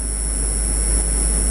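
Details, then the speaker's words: Car audio subwoofer amp gain set correctly using a homemade speaker-and-100-volt-capacitor filter tool: only a faint, deep 50 Hz test tone with no fuzz or crackle, clean with no clipping. "you're not hearing the fuzzy, all you're hearing is a very faint 50 hertz tone, nice and deep, no fuzziness to it, then you're good."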